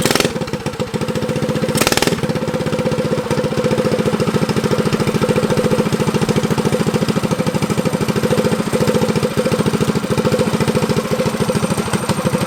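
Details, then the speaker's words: Motovox mini bike with Predator engine, abandoned outside two years, after idle screw adjustment: small single ticking over steadily at about three and a half beats a second, idling with choke open or closed. "so we got that problem fixed so now it idles with choke open and close so that's a good good sign right there"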